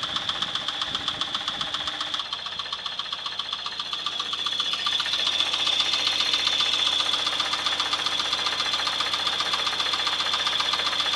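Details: 1996 Chevrolet S10 4x2, 2.2L I4 MPI, 146,300 miles, running: sharp regular metallic tick about two and a half per second over the hum; unexplained engine knock, for sale for parts.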